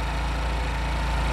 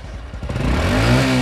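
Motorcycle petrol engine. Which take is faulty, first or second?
second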